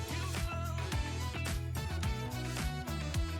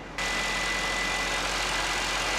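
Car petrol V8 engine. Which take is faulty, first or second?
second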